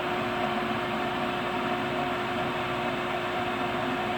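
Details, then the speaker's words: Brand-new furnace hardwired to temporary power cord, door safety switch held down; inducer motor kicks over with a steady, even mid-pitched hum, no knocks or rattles, spinning up cleanly. "We'll hold this down. You hear it kick over."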